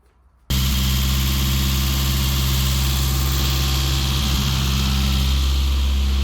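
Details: Classic Mini after blown head gasket repair (engine never converted to unleaded; second-hand head fitted, all gaskets replaced, fresh oil): steady, even engine note with a firm low hum, no knocks, misses or rattles. Normal running.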